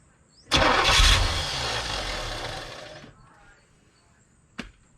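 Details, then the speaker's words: 1985 Chevrolet Corvette V8, parked 20 years, supposedly 24,000 miles, first start on starting fluid with no mass airflow sensor hooked up: starter catches, a loud roar for about 2.5 seconds, then dies. Fuel pump work is still to come. "Well, there you frickin' go. She lit right off. Sucked it right down, started up. Holy cow."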